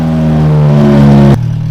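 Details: 2G Eclipse on its third engine, before its first drive with an open header, no hood and alternator belt missing. Loud, raspy, blatty note holding a steady high idle with a boomy drone, then dropping lower.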